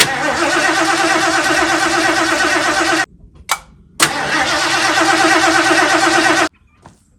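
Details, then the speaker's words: 1977 Mercury Cougar XR-7 after C4 transmission install: two cranking bursts at about three beats a second, each ending without a catch; carburetor squirting fuel but a check finds no spark. "I don't know what's happening. I don't know if we lost spark. It sounds like the carburetor's squirting."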